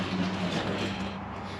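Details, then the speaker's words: 2012 GMC Terrain, GM Ecotec 2.4L, after cracked exhaust manifold replacement: steady low drone at constant pitch from a cheap aftermarket muffler replacing the split stock resonator and muffler; car still smoky. "You know, how much her car drones and sounds like a racer when it's clearly just a Terrain."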